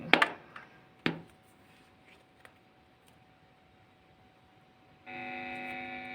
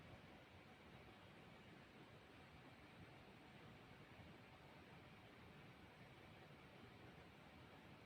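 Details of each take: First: TP-Link power adapter measuring 9.17 V output, plugged straight into a guitar effect pedal: a couple of clicks, a faint thin tone, then a steady buzzing hum; pressing on it reduces the noise. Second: Bahleang guitar-pedal power adaptor powering effect through amplifier, 30-second decibel test: only faint steady hiss, no hum or buzz; adaptor runs clean and quiet.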